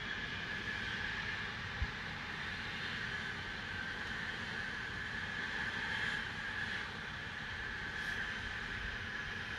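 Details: Continuous steady high hiss with faint constant whistle; Spooner Industries, Ilkley, 6 April 2021, 8.45am, recorded within a neighbouring property boundary, audible over 100m away; venting source not identified.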